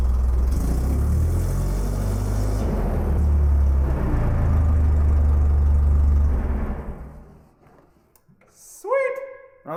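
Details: Terex crane engine after the solenoid was given 12 V via the switch terminal: deep, even low rumble holding a steady beat, no stumbles or surging until shut off; normal idle.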